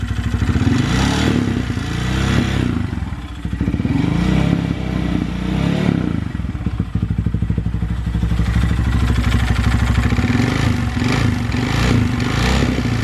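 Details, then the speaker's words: Honda Grom after valve adjustment, timing tensioner button replacement and oil refill: an uneven clattering knock under the exhaust swells and fades with throttle blips and is still present; possible rod knock, cause unknown. "sounds like it's going for here now well the noise is still there"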